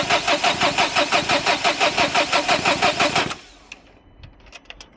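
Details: 2011 Dacia Sandero Stepway 1.5 dCi diesel cranks, even chug about three per second, but never fires; rail pressure sensor fault code, glow plug light suspected first, later found no power to injectors; crank sensor to be checked.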